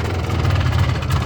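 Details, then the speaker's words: 1994 Polaris 400L 4x4 ATV just after starting: slow, heavy single-cylinder thumping at a very low idle, near stalling. "she's got a really really really really low idle as you guys can hear it"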